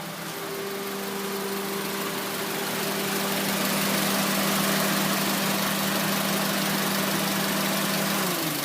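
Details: 2004 Honda Civic LX (7th gen), 80 km stated, engine warm: low, uneven idle, a steady hum with a faint wavering pulse and a dip; stalls and shakes in traffic, owner suspects O2 sensor, IAC valve also considered, unconfirmed.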